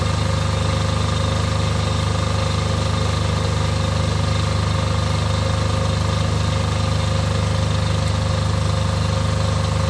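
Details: Off-grid diesel generator after a service for fuel problems that made it cut out, test-run briefly before load testing: steady, even idle with a regular beat about two per second, no lumps or hunting; normal idle.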